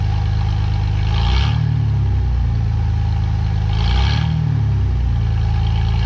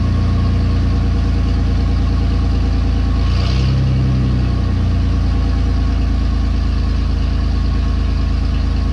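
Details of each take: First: 2017 Ford F150 5.0 V8 after installing both catalytic converters and removing the air pump and return line: steady deep idle with two brief throttle blips, smooth and even, nothing knocking or ticking; running decent. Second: 2017 Ford F150 5.0 V8, cold, with only one catalytic converter installed and no muffler: loud, deep, open drone at idle, and two quick revs bark sharply; louder than hoped, so a second cat is planned.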